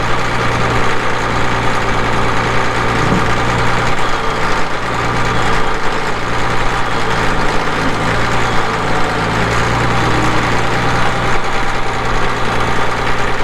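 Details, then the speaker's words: 1980 Caterpillar D6D bulldozer, 140 HP diesel, 9,255 hours, PowerShift: deep even diesel rumble holding a steady idle with no knocks or misses; normal diesel idle. "Cranks up, runs good, it starts right"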